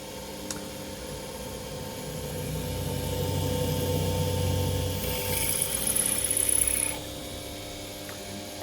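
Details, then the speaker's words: Chester Conquest Mini Mill converted to belt drive, speed about halfway, M6 drill bit fitted: even motor hum with steady low belt-drive drone, no knocks or slipping; spindle running normally. "[Music] good stuff seems to work"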